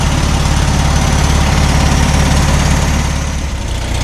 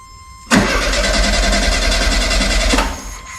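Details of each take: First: 1972 VW Super Beetle, air-cooled, first run after about 20 years in storage, after carb cleaning: low steady putter that dips slightly then settles into an even, healthy idle. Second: 1972 VW Super Beetle stored about 20 years, wheels off ground, fuel line detached, pump pushing brown old fuel: starter spins evenly about two seconds with no firing; cranking, no start as no fuel reaches engine.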